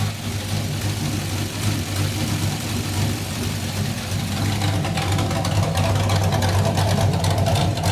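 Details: Kyle Petty No. 44 race car V8 with a new ignition and a water pump fix: deep, lumpy burble at a fairly steady idle with a slight rise in revs, no knocks or exhaust-leak ticking; 100% better than before.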